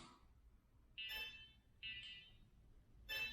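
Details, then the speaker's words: Shift Red drone indoors after a crash and loss of control; three short high chirps about a second apart over the idle drone, a warning beep pattern that the operator suspects means low battery, not confirmed. "It's probably showing a low battery. I know it."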